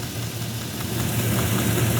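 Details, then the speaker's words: GM truck V8 at idle, listening at cylinder 8's injector: a low steady hum without the ticking heard at the other injectors, a dead miss on cylinder 8 with the injector not firing; it is then tapped with a punch and hammer while running to free it. "All right, now we are on the exact same spot on cylinder 8, so listen. And hopefully, I can't hear what you hear, but hopefully you don't hear that same ticking. Might be a little bit, but that's 8, and that's not 8."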